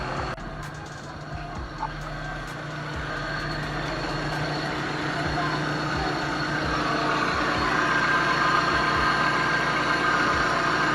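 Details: 2005 Suzuki APV at idle: regular chirp nearly four per second with a thin building squeal; owner suspects a bad AC compressor bearing, noise not from the engine, slack AC compressor belt.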